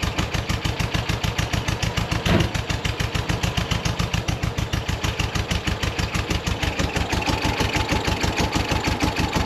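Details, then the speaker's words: 1965 VW Beetle Convertible air-cooled four, old unrebuilt engine with low power: uneven chuffing idle about three pulses a second, lumpy lopsided beat, not running on all four cylinders; low compression on one side (about 90 vs 104). "Well, don't see doesn't seem like it's running on all four cylinders here."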